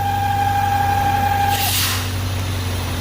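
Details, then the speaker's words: 1998 BMW with a V8, once at operating temperature after start. A steady high whistle over the idle with some exhaust smoke stops with a hiss when crankcase pressure is released and the engine steadies. The PCV valve has failed, causing crankcase overpressure, and is being replaced. "liberamos la presión se quita el ruido y el motor estabiliza un poquito"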